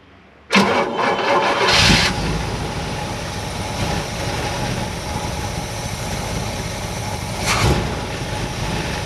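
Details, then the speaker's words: 1958 Chevrolet Bel Air 350 V8, first start after sitting, mufflers still on: quick start catches cleanly, then a smooth, even idle with one brief blip; no misses or knocks; normal idle. "that sounds pretty good sounds really good freaking mufflers are still on it"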